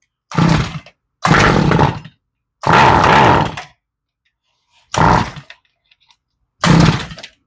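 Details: Toro string trimmer, small two-stroke, slightly warm, left over winter with stale fuel: fires in short ragged bursts and dies between each, never holding steady; carburetor varnished by stale gas, needs rebuild and fuel line replacement.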